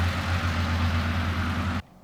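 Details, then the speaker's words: 1993 Toyota Land Cruiser 80 with newly rebuilt engine, cold dark morning around 6:50 while camping: cranks a little slower than normal but starts fine, then a deep steady low idle rumble with no knocks or misses before shutoff. "oh a little bit little bit slower of a crank than normal but definitely no issues at all starting up all"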